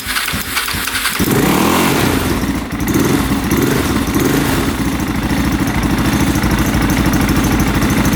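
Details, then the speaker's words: 2003 KTM 625 SXC Supermoto after a carb clean, possibly a cleared pilot jet, with the mic right by the engine. It catches after a brief crank and settles into an even single-cylinder thump with no knocks or weird sounds. Normal idle. "I don't hear any knocking, no weird sounds. We're gonna put the camera right by the engine so you guys can hear, but I think it sounds good."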